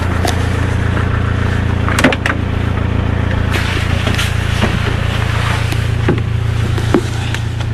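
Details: Fiat 126 cold start attempt after sitting since 18 October: steady starter churn about 3.5 turns per second, engine never fires, crank no start; owner suspects spark plugs or ignition coil, unconfirmed.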